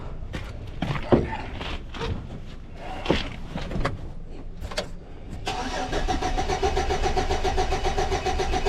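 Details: 2006 Chevy Silverado, crank no start with no spark even after distributor, cap, plugs and wires were replaced: a few clicks and handling noises, then steady even cranking that turns over fine but never fires.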